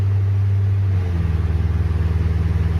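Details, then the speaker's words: 1973 Rover P6 3.5 V8, last start before starter removal: engine turns over at about four even pulses a second under a harsh, groaning whirr; worn starter motor, to be replaced with a new or reconditioned unit. "the last time you're never gonna hear that oh really horrible sound just from now on baby doll the new starter goes in or reconditioned or whatever I do you won't hear that anymore bye-bye shitty starter"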